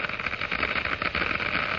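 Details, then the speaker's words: Cavitation in water flowing through a glass venturi at increased flow rate: bubbles form at the low-pressure throat and collapse in the higher-pressure diffuser, giving a steady crackling hiss like gravel in a pipe. "The noise is generated by the collapse of these bubbles as they move into the higher pressure in the diffuser."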